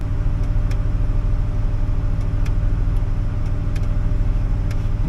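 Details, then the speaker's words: 2008 Chevy Silverado 1500 V8 with misfires and limp mode, idling after a brake pedal position sensor replacement; it has been sitting with a weak battery. A slightly uneven rough idle, better than before, and the owner suspects it needs a new sensor. "Now that it's running, it's being a little weird again."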